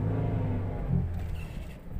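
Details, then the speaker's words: 2017 Toyota Vios 1NR with a cylinder 3 misfire and a jerk pulling away in first gear, after one ignition coil was replaced: a deep, smooth rumble accelerating without stumble, checked on the scanner. Normal acceleration. "start accelerate natin Okay na ang acceleration niya basahan natin ng scanner"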